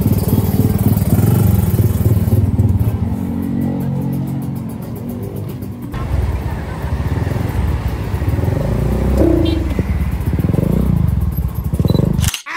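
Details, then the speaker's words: Kawasaki Ninja RR 150 two-stroke on test drive after carburettor adjustment at routine service: crisp buzz rising and falling smoothly with throttle, clean pickup, no misfire or stumble; running normally. "dan sekarang karbunya udah mantap dan body-bodinya tinggal kita lakukan pemasangan dan Mari kita tes Drive"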